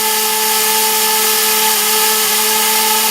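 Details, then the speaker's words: Quadcopter whose propeller shaft threads owner suspects were reversed at the factory; loud steady high buzz rising higher with no input, motors scream but it won't lift; motors over-revving without lift-off. "It's revving high, it's trying to flip out. I'm going to have to shut it down. If you see, it's getting higher and higher."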